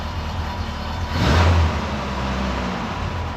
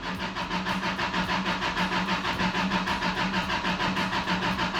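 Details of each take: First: 1990 Isuzu pickup after a lost cylinder repair, running with the original mechanical fuel pump refitted because the new one wouldn't pump: smooth idle, one clean quick rev blip dropping straight back, no knock or stumble; normal revving. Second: 1990 Isuzu pickup after a lost cylinder and head repair, cranking with spark plugs disconnected to prime oil and bleed the new mechanical fuel pump: long, even starter churn about three turns a second, never catching; the new mechanical pump would not deliver fuel.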